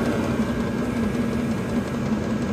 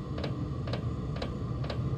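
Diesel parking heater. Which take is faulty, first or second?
second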